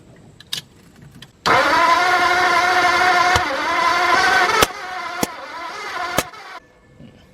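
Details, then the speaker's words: New flathead engine in a 1953 Ford project truck, after suspected voltage problem: steady cranking about five seconds with no firing; ignition timing found way off, no marks on the balancer. "Well, that's way the heck off. According to where the piston's at."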